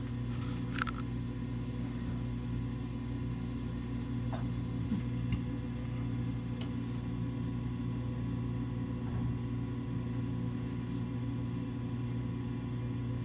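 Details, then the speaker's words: Coleman DGAA056BDTA furnace, newly installed replacement combustion (inducer) blower motor after a three-flash "combustion air switch failed to close" error: smooth, even low hum, gradual whine spinning up and running normally before ignition. "that's how that motors supposed to sound a gradual whine and then come on"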